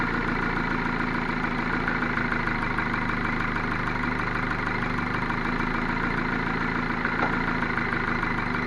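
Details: Ford Focus 2 1.6 100 hp after rebuild (block bored +0.5 mm, new pistons and bearings): steady idle with faint even tapping underneath; engine knock persists, source unclear.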